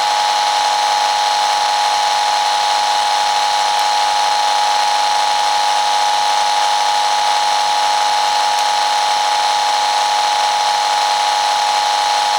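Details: Constant hiss with a steady high buzz and faint tones, no rhythm or speed change, played close up through a speaker over the microphone: household mains electrical interference that the iFi AC iPurifier filter barely reduced.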